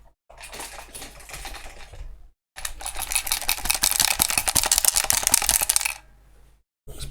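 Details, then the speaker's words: Evercross electric scooter picked up and shaken: bursts of quick dry clicking and rattling from something loose inside; owner fears a loose screw could short power circuits. "all right so you can obviously you obviously hear the rattle in there so how do i get inside here"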